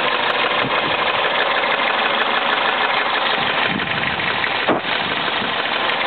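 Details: Toyota Celica warm idle: light fast tick about three per second, absent when cold, starts once hot, oil level fine; dealer said fuel injectors, owner suspects rod knock, not confirmed.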